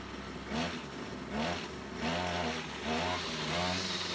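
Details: Small two-stroke brush cutter, after repair of a split fuel hose that had leaked fuel and stopped the engine mid-mowing, idles then blips up and back down roughly every second, picking up cleanly each time with no stalling.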